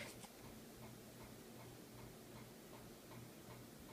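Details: Harbor Breeze Crosswinds ceiling fan on high speed: light steady ticks two to three per second over soft fan hum, from a badly wobbling fan.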